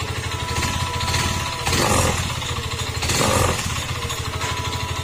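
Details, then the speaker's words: Yamaha M3 125 engine with a cricket-like noise, brought in for an engine overhaul: a steady, fast metallic rattle that gets harsher when revved twice. The mechanic identifies connecting rod knock, and the engine will be removed from the chassis. "Yan yung tunog ng kanyang makina. Pagka ganyan tunog ng makina, matik po yan. Connecting rod po yung kanyang problema mga sir."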